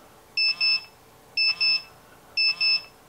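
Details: Paired high-pitched beeps about once a second, steady and insistent. The detector is alarming on a watch with radioactive lume, here with its stainless back against the detector. This reads lower than face-up but is still significant.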